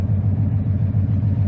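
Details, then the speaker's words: V8 running a lawn mower carburetor: steady, even burble at about 700 rpm idle, regular pulses with no misses or knocks; idling cleanly. "it's almost annoying how well it runs idling at about 700 RPM or so it's just some classic Thunderhead 289 action"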